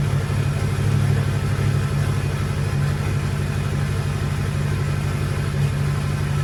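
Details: Ford King Ranch truck, 6.0 Powerstroke diesel with stage 2 cam, high-rev valve springs, O-ringed heads, KC stage 2 turbo, after cold start: deep, even diesel clatter at steady idle, pulses roughly three a second, no knocks or misses; idles smoothly.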